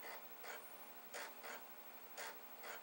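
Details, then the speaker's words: Commodore 1541 floppy drive running a check disk program. Short buzzy bursts of stepper-motor stepping, roughly every half second and unevenly spaced, as the head seeks back and forth; normal operation. "I can hear the drive head going back and forth, back and forth, back and forth. Because that's what they do, those drive heads."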